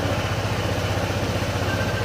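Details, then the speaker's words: Honda ADV160 scooter brought in for noisy, rattly engine, after camshaft work and reassembly: short steady idle with even low putter, no rattle or knock; engine now quiet and normal. "Ayan tahimik na. Mms na to mga sir."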